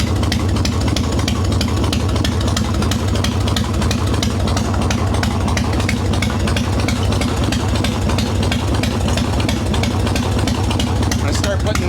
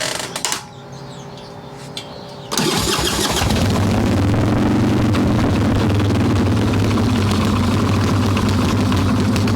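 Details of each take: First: Harley Evo Softail V-twin, carbureted, after fixing loose intake bolts and cracked vacuum cap, untuned mixture screw, set by ear: loud even beat about three pulses a second, no misses or rattles; normal idle. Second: Harley Evo Softail V-twin, carbureted, warm, choke plate off, loose intake bolts and cracked vacuum cap, mixture screw seated: catches after a couple seconds cranking, then lumpy uneven idle; rough idle from intake air leak.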